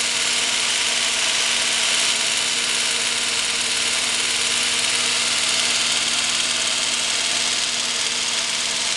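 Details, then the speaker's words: Restored Phillipsburg Waterworks DC motor started from its switchboard, stepping through the starting resistors with the contactor shimmed closed: it spins up to an even, steady high whir over a constant low hum, with no surging or rubbing. Running normally. "so we're going to pick for a resistor grits now the motor spinning up"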